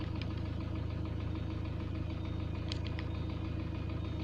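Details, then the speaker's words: Ford Transit diesel: hard rhythmic knock about 200 a minute over a steady idle; scan shows cylinder balance fault and a leaking injector, plus high-pressure calibration error and loss of revs. "Баланс цилиндров, форсунка протекает. Это понятно."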